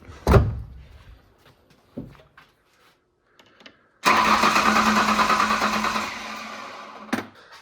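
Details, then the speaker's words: $300 Ford Ranger, battery charged overnight, new computer installed: a few seconds of steady pulsing cranking then stops without catching; turns over but won't start; owner to check spark and ignition coil, suspects a bad solder joint. "but I hooked the new computer up and it still won't start."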